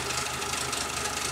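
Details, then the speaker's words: Jeep Cherokee XJ idling in neutral with the drive belt removed: a quick light tick keeps pace with engine speed. The owner feared rod knock or bottom-end noise. The cause was a broken chain guide letting the timing chain slap the cover. "The engine was making this ticking noise. Kind of sounded like a rod knock possibly, or some bottom end noise."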